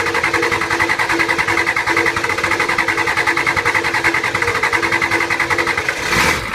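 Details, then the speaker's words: Older Ford 6.9/7.3 diesel, hard start and stalling; after glow plug cycle it cranks long, stalls, then chugs unevenly about two beats a second while purging air from the fuel lines; air entering the system, often showing as a fuel leak. "okay so you see how it starts up purges all the air through the system even stalls it first gives us the long crank and it the power stayed consistent so this is one that has air in the lines"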